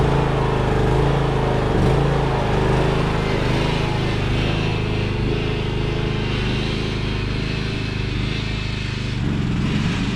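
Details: Craftsman riding mower that sat two years, after a dead battery and bad connections were fixed and the starter and carb replaced. Steady, even chug at constant speed with no misses, knocks or surging; normal running.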